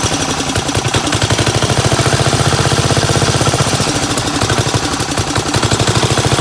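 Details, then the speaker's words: 1975 Gravely 816S single-cylinder tractor engine running with the fuel valve opened and closed by hand: fast, uneven, blubbery chugging; rough running as a suspected stuck carburetor float pours fuel out the back of the carb. "WELL, I WAS opening and closing the fuel valve up here in the gas tank the whole time in order for it to run. So, I think it's going to run. But, definitely the float's stuck or something cuz it's just pouring gas out of the back of the carb."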